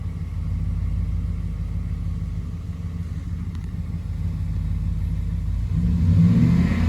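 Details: 2011 Ford F-150 5.0 V8: steady low knock about four per second under deep idle rumble, rising slightly with revs; rod knock.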